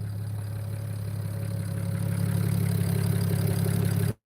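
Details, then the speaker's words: BMW E92 335i after valve cover gasket, new plugs and coil packs, warming up: low, even idle with smooth steady beat, no ticks or stumbles, sounds good; normal warm-up idle. "nice she sounds good"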